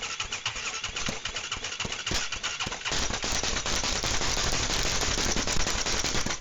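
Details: Rebuilt ATV engine with a temporary cover fitted, timing possibly affected: rapid, uneven chuffing as it cranks and nearly catches but never idles. Crank no-start; owner suspects flooding or incomplete hookups.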